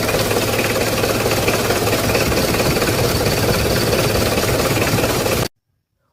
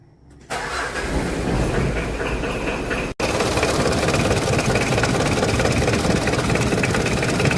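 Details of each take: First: Petrol car engine running with an old, worn fan belt, before applying grease to the belt edges: thin steady whine over the engine note; fan belt squeal. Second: Car engine after the fan belt was treated against noise: cranks and catches, then a steady, even idle with no squeal or chirp from the belt. Normal idle.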